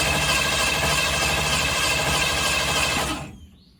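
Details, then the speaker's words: 1965 Ford Fairlane, start attempt after new gas tank, fuel pump fed directly from tank: steady fast cranking about three turns a second, never catches; flooded engine. "oh goodness all right take number two we let it get unflooded a little bit so let's see if it fires up"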